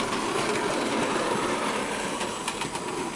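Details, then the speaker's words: Bachmann OO gauge SE&CR C Class 0-6-0 steam locomotive running laps after lubricating the crank pins, which cured an earlier squeak: steady whir with light rhythmic clatter, no squeak, sounds perfectly fine. "and she's done a couple of laps already and she's saying sounds perfectly fine"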